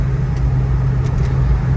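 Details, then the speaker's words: 1984 Ford Mustang GT350 Fox body, 20th anniversary: steady, even low V8 drone while cruising on a road drive, with no knocks, ticks or whine; engine runs good and sounds healthy. "But beautiful day out, really clean car, perfect day to go to the gym. Runs good, dude."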